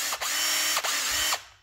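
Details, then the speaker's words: Bauer cordless impact wrench, brushed motor, rebuilt with a new bearing after the original failed within six months: spins up in quick bursts with a clean steady high whine, no grinding. "I got it all back together with the new bearing and it sounds good"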